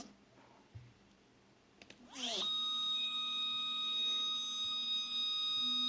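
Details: Two Z-axis steppers wired in parallel on one Duet driver, current raised for two motors, acceleration 120, feed rate 3000: a clack, then a steady high buzzy whine with no motion. Motors are stalling and vibrating, cause unknown.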